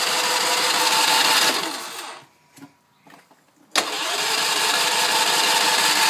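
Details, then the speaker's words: Ransomes 3500 engine, choke half, primed, full tank, economy off, unable to start for nearly a year: long stretches of even rapid cranking with a brief lull, never catches; cranks, no start. "anyway that's it no start come on guys help me out with this"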